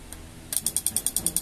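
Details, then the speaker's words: LG microwave whose display blinks when the door opens: with the door-switch jumper pins disconnected, the control-board relay chatters, an even tick-tick at about ten per second from low supply voltage; a swollen capacitor is visible on the board. "ahí es cuando empieza la falla el ruidito ven el tablero el ruidito miren aquí el rel que suena es este tictic"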